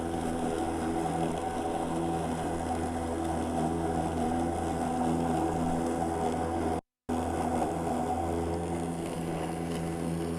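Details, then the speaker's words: Makita 36 V (2x18 V) cordless lawn mower with speed button pushed, held at constant 2500 rpm per the directions, cutting grass well: steady motor hum and even blade whir, pitch constant; normal running at constant speed. "all right that's what it does it keeps it going at 2500 rpms which is what the direction says and guys at 2 500 rpms it's still cutting that grass pretty good"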